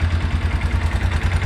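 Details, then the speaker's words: Small Kawasaki four-wheeler (ATV) at idle after its exhaust valve was adjusted: even thumping idle about thirteen beats a second, top-end tapping gone, valve train now quiet and healthy; intake valve and carb still to be serviced. "Okay, that's all it was. Dude, she's quiet now. She'd probably be good to go like that, but I'm still gonna pull that carb off."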